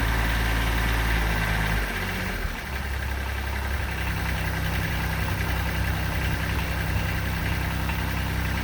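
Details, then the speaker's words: 2006 Kubota BX23D with a D905 three-cylinder diesel, started after a four-second glow right after adjusting the valves. Settles into a steady, even idle with normal injector clatter and no extra tapping; sounds much better than before. "let's do it [Applause] oh it sounds much better"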